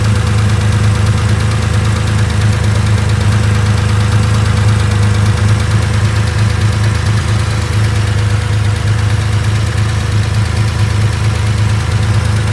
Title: 2.4 ticking sound LH side